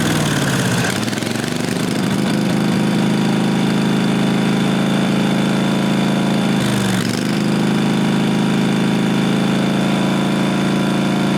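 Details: 1998 Briggs & Stratton Vanguard 16HP horizontal-shaft V-twin (model 303447) after fitting a working fuel pump; settles into steady, even idle with one brief dip, then holds smoothly. Normal idle.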